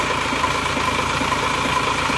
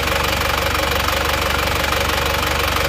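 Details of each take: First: Diesel after engine rebuild, new timing gear and injector nozzles, compression good; idle uneven, beat wandering and lumpy; nozzles fine, injection pump still needs servicing and adjusting; rough idle from injection pump out of adjustment. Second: Diesel after an engine rebuild (liners still good, not reversed): even, steady idle clatter with no stray knocks or misses, and exhaust smoke now thin. Normal idle after repair.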